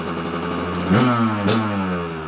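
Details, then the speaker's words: Kawasaki KDX 200 two-stroke, first start after new piston/top-end replacement after 30+ years, choke on; crisp ring-ding idle with two clean throttle blips, no knocking, a little cloudy smoke. Normal running. "smells good little cloudy it's good for the sinuses when you got a little bit of a congestion some two-stroke smoke is sure to fix it"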